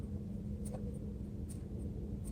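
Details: Mercedes S600 coupe, belt off: the hand-spun belt tensioner pulley turns quietly with only a soft low hum and no grinding or rumble. The bearing is healthy despite the car having sat.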